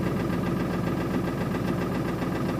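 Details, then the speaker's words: 2000 Ford Excursion 7.3 diesel, cold idle after glow plug and intake heater cycle, white smoke: rough uneven knocking pulse through clatter, misfire; suspected non-working glow plug or injector issue; cylinder 8 later failed contribution test. "also better knocking it like an injector issue"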